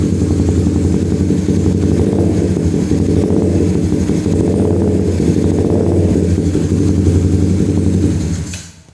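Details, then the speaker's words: Suzuki Satria Fi150 fuel-injected motorcycle after idle-screw adjustment at the throttle body, tachometer showing the intended three bars: steady, even single-cylinder idle with unchanging beat until shut off; idle speed now correct. "Yang penting adalah bahwa kondisi idle, eh, sesuai dengan tiga bar yang saya harapkan."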